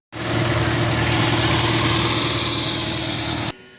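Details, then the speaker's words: 1947 Cub tractor, freshly restored with magneto timed, running: steady, even small-engine run with a firm low thrum, no knocks or misses; normal running. "as you can see in the little short clip I put yesterday, we got it running."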